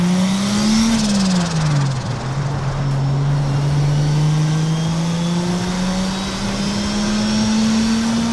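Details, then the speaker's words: 2JZ-swapped BMW E36 on a test drive after a fuel-system upgrade with a surge tank and sorted ignition, at low 0.5 bar (7 psi) boost: clean note dips on the shift, then pulls hard and smoothly. Healthy acceleration under boost. "After that pull, I just cruised it up. It was pulling really hard for the low boost, and I couldn't be any happier."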